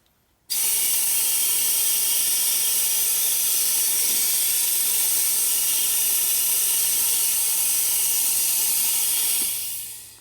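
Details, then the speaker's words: Used eBay nitrous oxide transfer pump driven by shop air regulated to about 80 psi: a steady high air hiss for about nine seconds with no pumping strokes, then it stalls; internally dirty, greasy, possibly missing a ring. "no idea how these work pretty sure it's not close to that though you hear the pump and stop"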